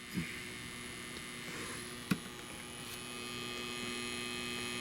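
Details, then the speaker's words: A Tripp-Lite LC1800 line conditioner's transformer, fed by a DeWalt DCB1800 power station's modified sine output, runs an LED TV and air conditioner. It gives a faint steady low hum with a thin high whine, which is normal. "very little humming. As you can hear."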